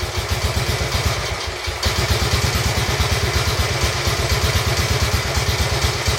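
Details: Royal Enfield Bullet 350 Classic, first start after partial seizure repair: cylinder honed, new rings, decoked, valves set, carb cleaned: even, steady slow idle about three beats a second, clean with no knock or rattle; normal idle.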